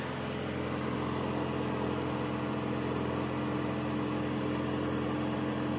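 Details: 1985 Cadillac Cimarron, about 48,151 miles, idling just after a cold start following months of storage: steady, even idle with a smooth low hum, no knocks, misses or ticks; oil pressure perfect, battery charging, no exhaust smoke.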